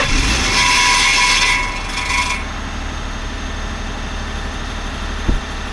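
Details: Ford F-150 3.5L: tinny metallic tapping, roughly three or four a second, during the cold-start flare, then a quieter idle; owner says it sounds like the fan hitting the exhaust pipe, source unconfirmed.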